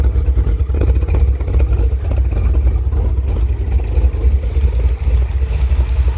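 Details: 1971 Chevrolet Cheyenne, factory big-block 454 V8 on Jegs Bandit EFI, first start, cam believed broken in, rear jacked up; loud idle with sharp puffing ticks over the rumble. Header leak at number two cylinder.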